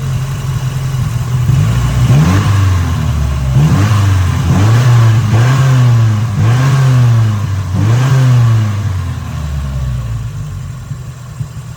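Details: 1989 Nissan 240SX KA24E: revs rise and fall with an uneven, stumbling beat and it nearly dies between blips after the idle screw, previously all the way out, was lowered; misfire, cause unknown, with an intake manifold inspection planned.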